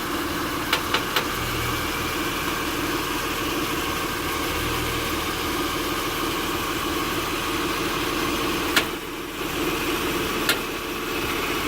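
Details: 2006 Acura TL (3G) in park, engine idling: sharp isolated clicks from the passenger side while the steering wheel is turned, caused by an internally binding steering rack; replacing the rack fixed it.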